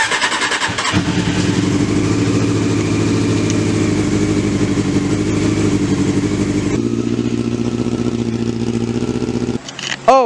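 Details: 1994 Honda CBR600F2 being started while still being dialed in. It catches within a second, revs cleanly and crisply, then holds a smooth, steady idle, which is healthy running.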